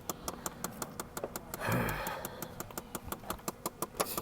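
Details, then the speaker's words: 2006 Chevy Impala, a running auction car: sharp ticking knock about three per second over the idle, a typical GM engine knock with cause unknown. "It all depends on of course you hear the freaking GM knocking."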